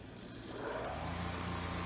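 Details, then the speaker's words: Small single-phase induction motor started from stall, spinning up with a few quick clicks as the centrifugal switch opens and disconnects the auxiliary winding, then a steady electrical drone; normal start-up switch click. "now if we saw those large spikes that was the auxilary winding switch opening itself up"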